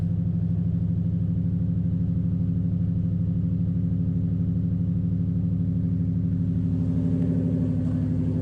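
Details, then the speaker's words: 2005 Nissan Titan V8, rebuilt Walbro fuel pump, new starter, muffler removed: deep loud even burble about three pulses a second at idle, no miss or knock; idles cleanly. "this truck does have a new starter as well so it does start pretty easy i did just cut my muffler off or take it off"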